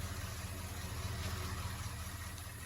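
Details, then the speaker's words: 1964.5 Ford Mustang convertible after carburetor rebuild (leaking accelerator pump fixed): smooth, even low rumble at steady idle, no misses, stumbles or knocks; no longer smoking or smelling rich; normal idle. "that sounds beautiful not smoking like how it was before it doesn't smell super rich"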